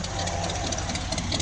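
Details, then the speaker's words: 1972 Ford F100 with a 302 V8 swapped in for a bad 300 inline six: the V8 settles into a steady, even idle with a firm low rumble and no stray knocks or misses, running "smooth as eggs"; sounds healthy. "yeah she's running smooth as eggs sounds"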